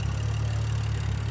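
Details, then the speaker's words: BMW F10 after rough idle with no codes: low, steady idle with even beat, no stumbles or surges; owner believes cleaning pollen from cold air intake area or reseating an unlocked connector fixed it. "yeah, I think she alright. I think this just needed to be cleaned."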